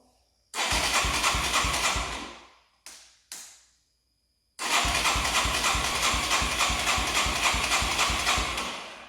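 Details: 1989 Yamaha Moto4 200cc quad after timing chain replacement, with new throttle cable: quick, even single-cylinder popping that fires straight up fast instead of settling; idle stuck high, adjustments didn't help.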